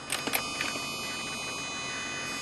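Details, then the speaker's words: Mercedes-Benz W211 with Dynavin Android MOST head unit replacing factory Harman Kardon Logic 7 and COMAND NGT1: thin constant high-pitched whine audible in quiet song parts and track changes; electrical noise suspected, unconfirmed. "you hear that whne sound that whne sound is always there when a song is playing you don't hear it but if a if a quiet part of a song comes in you'll hear that sound"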